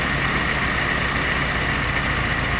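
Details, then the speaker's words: Willys jeep L134 engine at idle with the distributor retarded far, probably as the flywheel timing marks would set it. A low, dull, labouring idle, bogging down with no crispness. Over-retarded ignition timing. "So it's really bogging down now. Okay, and that would probably be in the position there at the moment, is probably how the ignition timing, if you set it up using the flywheel, that's how it would set it up, okay?"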